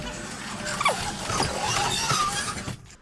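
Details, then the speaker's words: Heavy garage door with two hinges and long rollers, bent head plate: short squeaks and scraping chirps as the door moves, coming from a cable drum tilting outward; garage door cable drum bearing noise. "That noise you hear is coming from, see this piece here? Drum, see the drum? Yeah. See how it's tilting out?"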